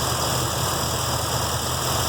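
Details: 1966 Mustang 302 V8 with stock cam, newly fitted MSD Atomic EFI with idle set to 775 rpm, warm day: steady even idle sitting noticeably high and not settling; fast idle, owner suspects injectors open too far.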